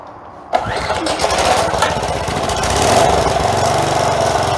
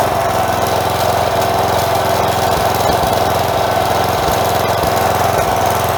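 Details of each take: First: Old four-horsepower Craftsman edger after carburetor replacement (sand found in old carb), first run after sitting many years: speed swells and drops in slight uneven surging; breather and air filter not yet refitted, suspected cause. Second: Craftsman 4 hp edger fitted with a new carb after sand was found in the old one, possible bowl gasket leak: the small single runs smooth and even at a steady higher speed with no surging.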